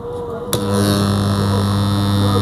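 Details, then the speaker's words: Direct-on-line (DOL) motor starter contactor on a newly wired control circuit, pressed start; sharp clack as contactor pulls in then steady low buzz holding evenly, releasing on stop; contactor energized and holding normally. "unaona imeshika eh na tukistop imeacha kwa hiyo hii imekamilika ringi yetu ya direct online starter"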